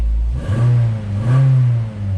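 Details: 2009 Nissan Altima after fixing loose, dry-rotted wiring harness connectors: two quick throttle blips with revs rising and falling cleanly, no stumble. The earlier rough-running misfire is fixed, though the smoking at first start remains.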